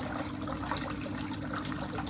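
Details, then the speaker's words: Water trickling and splashing over a low pump hum from a fitting cracked on top in a fountain; the part will be directly replaced, and the unit can keep running meanwhile. "Yeah, it's got a nice crack on the top there."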